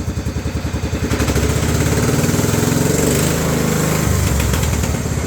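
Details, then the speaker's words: 1994 Cub Cadet 2135 Series 2000 riding mower after carburetor cleaning, running after 36 years sitting: uneven pulsing smooths into a steady rising roar as the throttle goes all the way up, engine running cleanly at high revs. "All the way up. So, it's running. After 36 years."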